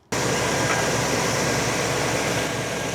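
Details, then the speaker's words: Engine with distributor vacuum advance switched from ported to full manifold vacuum: fires and settles into a fast, even idle a little over 850 rpm, about 200 rpm higher, AFR a little rich. High idle speed. "Okay, hopefully you can hear me and see that uh we're a little over the 850. So, it raised about 200 RPM."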